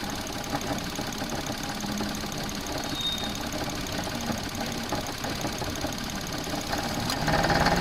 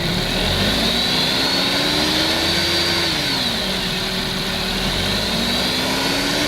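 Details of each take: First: Suzuki Alto at idle, rattle getting louder with rpm: light, uneven rattle about three times a second from alternator wobbling on a failed mount, worse under load or when air conditioning cycles. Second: Suzuki Alto after repair of engine-bay rattle at idle that grew with rpm (damaged bolt replaced, alternator refitted): engine idles and revs evenly, noise gone.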